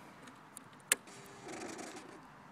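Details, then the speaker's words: 2005 Kawasaki ZX-6R 636cc track bike, 7,219 miles, Muzzy full exhaust, Power Commander, cold (radiator about 55°F), not yet started: at key-on a single click then soft electric whir about half a second; normal fuel pump prime. "so you hear the ecu go over here put it to run and let's hit the starter"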